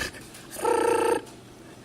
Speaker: noises to fix this problem to fix this problem we will have to remove the hard drive and see if that is causing the noises if it's not we will also see if there's anything caught in the fans that may be making that noise